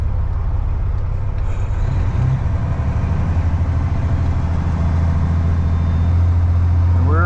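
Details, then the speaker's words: Heavy truck under load: low drone with rough, uneven gearbox churn and faint rising whine; transmission sloppy, hard to shift into seventh, popped out of gear and running hot. "geared this thing is not happy you can hear it a slop in the transmission man hopefully we get on 70 and we can just kind of cruise across just popped out of [Music] gear transmission is running hot hot hot hot"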